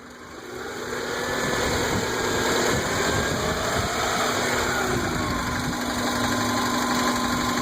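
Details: Engine revving under light throttle with a rough knock about four times a second from the right-hand side, not engine knock but a cracked flex plate; a boiling-water-like noise also heard at the dipstick tube.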